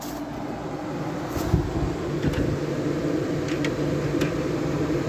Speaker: it was on low fence I put it up the high fan sounds like the compressor was cycled off on this unit